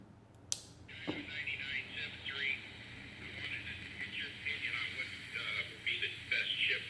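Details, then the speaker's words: 1960s Volt 2-transistor radio, previously completely dead, after reattaching volume control; thin tinny speech and music over faint hiss with some level dips, not very loud; now receiving a station, volume control still uneven. "oh you can actually hear it sure if you can hit or not not very loud hopefully you can hear that oh that's actually working"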